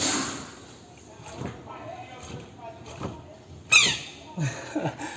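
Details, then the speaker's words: Front wheel of a VW Saveiro (square body) giving rhythmic squawking chirps about once a second as it turns: the bearing's rubber seal was rubbing on the hub. The bearing was replaced. "e eu acredito que tava fazendo aquele barulho porque tava pegando essa borracha aqui que faz parte do rolamento aqui ó no cubo Né"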